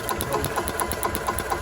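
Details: Club Car DS gas golf cart, sat about 10 years, fresh gas and carburetor bowl opened: quick, even putter about eight firing pulses a second with no misses; running steadily, showing the RPM limiter is bad.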